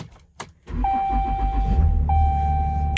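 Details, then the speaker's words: 2014 Ram 3500 Cummins diesel, 450k miles, Aisin transmission, start-up: brief crank then catches at once into even steady run without stutter or misfire; clean healthy start. "You know, a lot of times when the diesels are really cold, yeah, they like to stutter or hit and miss kind of situation on the initial startup. But overall, you want to make sure it just kicks right up and grabs what it needs to grab."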